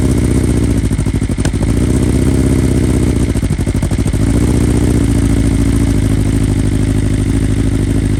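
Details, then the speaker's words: 2020 BMW S1000RR (K67) true cold start on the original 2020 stock software, flashed back to stock: high cold idle with an uneven, stumbling beat and skipped pulses. One ignition coil has failed; it needed several restarts. "so obviously you can hear that one of the coils just shot and um i had to you know restart it a couple times"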